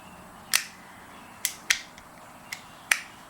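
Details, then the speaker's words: VW Beetle light switch being operated, snapping cleanly into its detents with a few crisp, sharp, irregular clicks in a quiet room; two nice clicks, normal detent action, unlike the original switch that doesn't click out. "it just doesn't click out like this one this one has two nice clicks"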